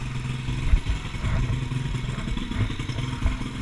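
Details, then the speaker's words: Pit bike single-cylinder engine after a rebuild for bent valves, with the exhaust not going into the exhaust tip, making it loud: rough, low-pitched putter with uneven pulses and some clatter, now idling where it used to die; normal running. "hopefully oh it's great um she sounds like she's running really well"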